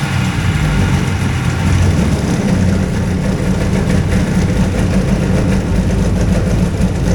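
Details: Hovercraft two-cylinder engine running strong and even at about 2500 rpm, steady low drone with no misses, knocks or stumbles; ignition sound on both cylinders.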